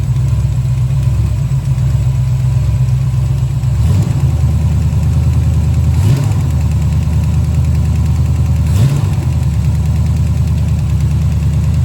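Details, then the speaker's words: 1970 Chevelle after a big-block swap, idling lumpy with a light fast tick from a rocker deliberately left loose on its pushrod. Owner is unsure why the engine knocks and may pull the pushrod and intake: valve tapping from a loose rocker. "You can hear it tapping right now because I'm leaving it loose."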